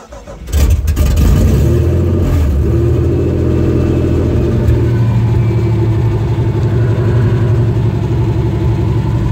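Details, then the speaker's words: 1992 Nissan Pathfinder with supercharged VG engine: cranks briefly, fires cleanly, revs up crisply and drops back to a steady, even idle without stumbling; sounds well tuned, though the power steering pump is suspected failing. "It sounds like a regular, nicely tuned VG engine. And it gets right up. As soon as you step on it, it gets right up there in RPMs. It's doing great. It holds it."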